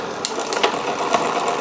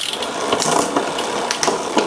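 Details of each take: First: Wilier GranTurismo road bike, Campagnolo drivetrain, after strip-down service: light, rhythmic ticking about twice a second as the chain turns, shifting struggling; rear derailleur cable tension too low, quiet once pushed up. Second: Wilier GTR GranTurismo road bike with Campagnolo drivetrain after full strip-down service and cable tension adjustment: crisp distinct clicks as chain steps across the cassette, no grinding; normal gear shifting.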